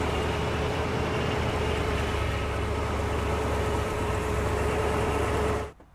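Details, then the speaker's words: Vehicle unstarted for months, jump-started with a DeWalt DXAEPS14 power station on the second try: steady rumbling idle for several seconds, then the engine abruptly dies; stalls shortly after starting, cause not identified. "Okay, it just shut off on us. Let's try to crank it again."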